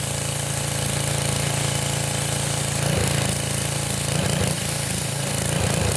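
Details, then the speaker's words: Revived Sears Craftsman pressure washer, 6.5 hp Briggs OHV, 2500 psi 2.7 gpm, not yet hot, low pressure setting while purging: loud steady drone with even fast beat, holding speed under pump load without misses or surging; pump leaking but working. "I don't see any issues I want to want to run it a little bit longer we're not even really hot yet she's able to handle whatever load there is"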